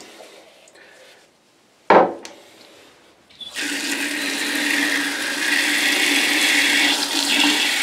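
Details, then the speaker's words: Backed-up toilet on septic line after repeated filling and plunging, steady rush of water with low gurgle deep in drain as level rises and falls; partially clogged line clearing, water going down. "Now at this point I can see the level of the water going up and down a little bit, deep down in there, but you can probably hear it gurgling a little"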